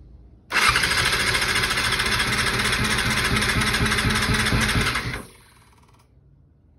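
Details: 2000 Yamaha R6 after diaphragm replacement, carb cleaning and reinstall, refueled and cranked without choke: the starter churns steadily for about 4.5 seconds at roughly three turns a second and the engine never catches; hard starting.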